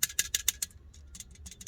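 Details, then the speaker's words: Suzuki Splash clutch disc removed during clutch kit replacement, shaken by hand: quick bursts of loose metallic rattle; two damper springs fatigued, others holding; new disc's springs are silent. "Écoutez le ressort. Celui-là il tient. Celui-là il tient."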